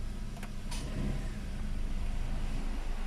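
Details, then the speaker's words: Hyundai Eon idling with AC on, warming up after timing belt and tensioner bearing replacement: smooth even idle, no belt squeal or chirp; normal. "squeaking noise as well all right so you're just gonna warm up the engine and listen for belt noise"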